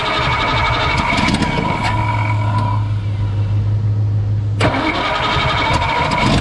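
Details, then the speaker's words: 1962 Ford F-350 with recently rebuilt carburetor, choke being tuned out: starts and blips, then holds a low, uneven idle that hunts; owner suspects too rich at idle with mixture screws 1.5 turns out, cause unconfirmed. "so i really think we're too rich at idle but i only started the screws one and a half turns out"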